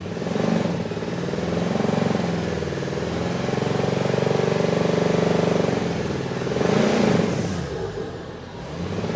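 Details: Jaguar XJ6 2.7 TDV6 diesel runs with a rough buzzing vibration and a dull knock about four times a second from a failed main bearing, before the engine rebuild.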